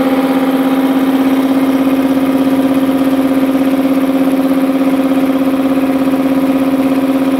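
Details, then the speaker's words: Multipro 2 HP (2.2 kW single-phase) air compressor after cleaning dirt from the check valve, filling tank: steady low hum with even pumping beat about three strokes a second, no hiss or stumble; normal running. "समस्या का समाधान कर दिया गया है ताकि यह इस हिस्से से अब लीक न हो, जिसका अर्थ है कि क्षति का समाधान हो गया है"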